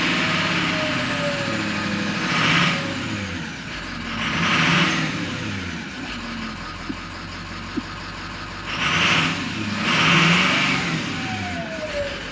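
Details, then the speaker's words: 2006 Ford F-550 6.0L Powerstroke diesel after blue spring kit install and fuel pressure regulator O-ring fix, now 65 psi: free revs rise and fall twice with clear turbo whistle over diesel clatter; healthy turbo spool. "Yeah, you can really hear that turbocharger."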